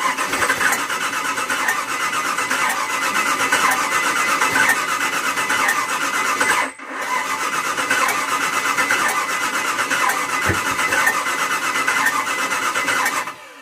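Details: 1992 Four Winns Sundowner 225 boat, Volvo Penta drive, engine possibly a Chevy 454 V8 (owner unsure); spark and fuel confirmed: steady starter cranking with even compression pulses, pause, more cranking, never fires; cranks but won't start.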